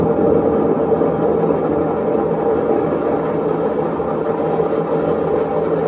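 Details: Maytag washer in diagnostic spin test, drum speeding up: loud, steady rumbling roar with droning hum; drum bearing worn out.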